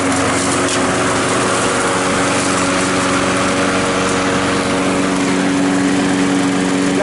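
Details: Trash-picked Craftsman lawn mower, after replacing a broken flywheel key on a no-start: single-cylinder engine holds a steady, even buzzing run with no misses or surging; running healthy.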